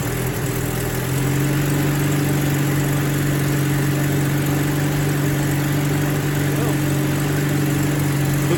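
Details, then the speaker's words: Rover P4 80 idling after the coil lead was fitted, completing the new leads fitted for pinging and a suspected insulation leak; smooth, even low idle with no misses, running cleanly on all cylinders, a success. "Like a good, great success."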